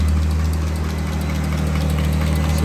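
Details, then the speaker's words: Car at idle: steady rumble with light, quick, even ticking; owner suspects the hydraulic lifters and plans to pull the valve covers and clean and soak them in oil. "so you can hear the lifters I got to take them out and clean"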